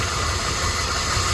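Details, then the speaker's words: 1997 Dodge Dakota 3.9 V6, after new timing chain, heads, O2 sensors and sensors (had bogging and backfire), new battery, first start: steady smooth low idle, no misses, no longer shaking. Normal idle. "The engine doesn't even shake now."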